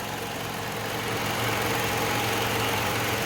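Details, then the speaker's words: 2012 Toyota Camry petrol engine idling smoothly after a misfire repair on cylinders three and four: steady, even hum with no misses or knocks, running about an hour. "देख सकते हैं कि इतने smooth खड़ी हुई है गाड़ी की"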